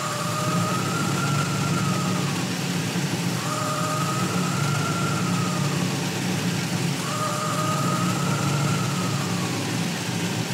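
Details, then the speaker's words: Warm V8 with Holley EFI idle surging every three and a half seconds, IAC position swinging wildly despite RPM above target; traced to one sensor reading off by three percent. "the idol is surging and if you look here at the IAC position it's going crazy"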